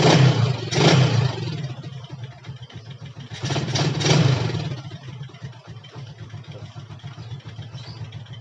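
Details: Yamaha Jupiter MX that would start then die: small single revs up twice in crisp bursts then drops back to a steady, even idle; runs cleanly with no missing.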